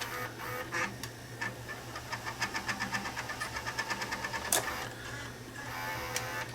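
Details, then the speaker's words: Sony SLV-R1000 VCR previously opened by its owner: quiet transport whirr with fast, regular ticking chatter in forward search; technician suspects a dry bearing, and the mode encoder switch is also faulty. "I wonder what's making so much noiser when it's in forward search it sounds like a dry bearing is what it sounds like"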